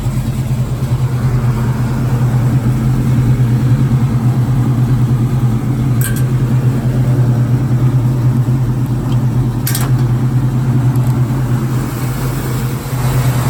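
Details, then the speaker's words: 1966 Ford Mustang 289 V8, Edelbrock 600 carb and Performer intake, lumpy cam, headers, cold start after three weeks sitting, choke on, foot on gas: loud lumpy loping idle around three pulses a second, shaking, low vacuum (~7); later found one 302 connecting rod, 1/16" short. "I don't know if you can hear me. Shaking a little bit, doesn't run very steady. It'll idle fine when it's warmed up, but I still got my foot on the gas keeping it going."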